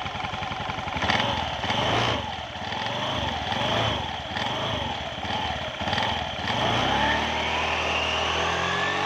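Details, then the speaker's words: Honda Beat scooter revved after its CVT was reinstalled and the oil and gear oil were changed; several quick throttle blips about once a second, then a steady rev, smooth and even with no slipping or rattle, so the drive is fine. "dan kita coba digaskan dulu ya untuk melihat"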